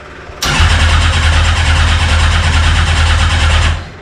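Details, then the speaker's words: Long-abandoned 1200cc Thunder Roadster race car, first start attempt with choke pulled: engine catches and runs rough and uneven for a few seconds, then dies, gas everywhere; carburetors flooding because all float needles were stuck. "Okay, I figured out why gas is everywhere. Our needles on the two inner ones Well, our needles were all stuck."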